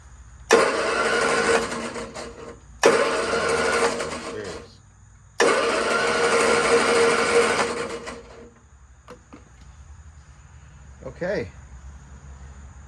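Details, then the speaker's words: 1966 Triumph Spitfire MK II, abandoned 41 years, compression test while cranking: three short bursts with a light, uneven spin and no firing; cylinders 1 and 2 read 110 and 115 psi, cylinders 3 and 4 zero, with valves suspected stuck. "that's not good we have zero compression on number three and four so thank you no compression number three or number four"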